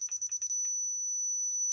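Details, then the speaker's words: Dovoh DR1 laser level receiver: quick high beeps as it detects the line and signals to move down, then one steady solid tone when right on grade in the middle. The receiver is very sensitive. "ways you can hear it beeping it's starting to see the the line and it wants me to go down a little bit yet this thing is really sensitive so it's hard to get it right in the middle"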